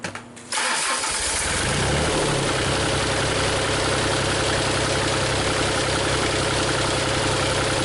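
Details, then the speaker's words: Used Cummins diesel swapped into a Komatsu PC40 excavator, thermostat fitted, running about 180° without overheating, injectors still weeping: short crank, then it settles straight into a steady, even idle with no knocks or misses; healthy start. "We have water in it. It's not overheating. Thermostat's in it. Seems to be running about 180 all the time."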